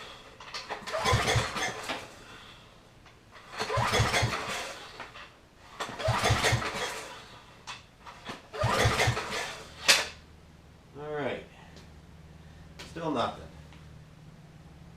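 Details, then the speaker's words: Old free generator during recoil start attempts: four hard pulls, engine never fires, clicky sound; no fuel reaching carburetor because fuel shutoff valve was closed. "doesn't look like we're getting any fuel here wait a minute is that a fuel valve or am I about to drain the fuel out of the tank I think that was a fuel valve"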